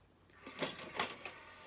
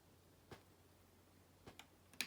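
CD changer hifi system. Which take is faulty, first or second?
second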